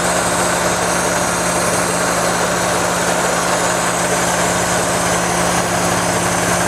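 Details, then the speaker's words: 1992 Geo Metro XFi with A/C added from a 1995 Metro (new compressor, condenser, dryer), testing compressor idle-control board: steady loud hiss over even idle when the idle-boost valve energizes, heard at the air cleaner; owner suspects leak, possibly just intake airflow. "i can even hear the hissing when that valve first turned on all the hissing almost sounds like a leak"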